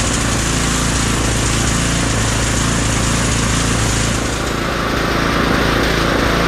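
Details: Husqvarna ST330T/ST332 snowblower that wouldn't start, oil black and smelling of gasoline: loud, steady engine drone with an even beat and no misses or knocks; running cleanly.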